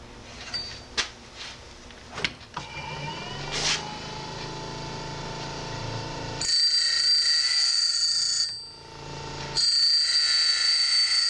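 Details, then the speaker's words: Toycen Journeyman DC sharpening a chisel-tip drill with face wheel, motor about 1000 RPM, 2-flute cam, motor tilted down 3 degrees: high grinding hiss over steady motor whine, two passes matching in level and pitch; both flutes ground evenly, setup correct. "should be able to hear it sounds about the same on each side."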